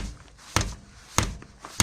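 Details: Rear wheel knock, found as the wheel is rocked with the brakes held to rule out the calipers: three sharp, hollow clunks about half a second apart. Struts are recently new. It's barely heard when driving, only over bumps. The cause was a holed front lateral arm bushing at the hub.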